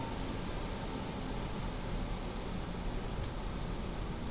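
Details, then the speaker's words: PCcooler DT360 ARGB Display liquid AIO, back at idle after Cinebench load: only a soft, even airy hum with a low steady drone and no clicks, rattles or pump whine; healthy. "I'm just going to let it idle again. and let you listen to the idle and then I'm going to load it up again. Now, this is at idle."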